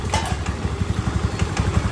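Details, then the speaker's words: Honda Beat scooter after an engine teardown and oil-filter cleaning, having previously stalled with a rough idle: a quick, even single-cylinder putter at idle with no knock or rattle; it now idles cleanly. "nah ini penampakan atau suara mesinnya beda banget ya kan ya guys sama yang kemarin pas kita baru"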